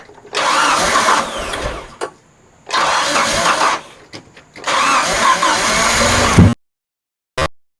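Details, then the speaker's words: Forklift, sitting a while, cranking: three long bursts with a fast, even spin, no compression pulses, never catching; sounds like lost compression, owner suspects timing chain may have gone. "isn't that weird how the guy turns on his forklift and it sounds like it doesn't have any compression and it ran good when it parked"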